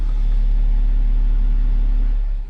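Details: BMW F15 X5 35d diesel right after start following fuel filter replacement and manual priming: short steady low rumble, even with no hunting or stumbling; healthy idle.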